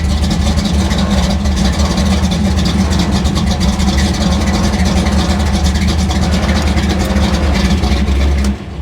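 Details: Chevy gasser V8 with distributor locked out at 38° timing, idling around a thousand rpm, runs slightly rich and fast; deep, steady, slightly lumpy idle with even beat and no knocks or ticks, healthy and strong.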